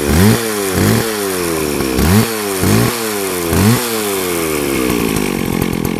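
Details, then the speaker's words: McCulloch 610 24-inch chainsaw, restarted after a year on stale gas, extra 2-cycle oil added: five quick throttle blips rising and falling cleanly, then a steady crackling idle; revs and idles healthily. "It's sitting good now in idling."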